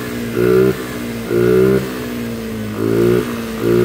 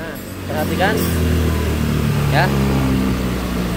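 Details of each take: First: Carbureted Honda Vario scooter, engine just rebuilt after a late oil change scored the piston: it won't idle and stays alive only on repeated throttle blips, sagging between them, with smoke from the breather hose. Low compression and blow-by. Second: Honda Vario 110 carburetted scooter after an engine rebuild forced by a late oil change, which had made it hard to start with no idle. Revs up cleanly in blips and settles smoothly; it now starts first kick and idles, with no breather smoke.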